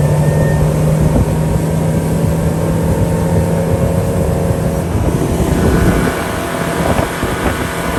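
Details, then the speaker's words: Honda BF75D/BF90D outboard on the lake after annual maintenance and earlier hose pop-off and water intrusion and spark plug issues; steady high-revving drone with wind rush, no sputter or stumble at wide open throttle, normal. "did a couple laps and everything is super smooth I'm like a bird uh let's give her a shot"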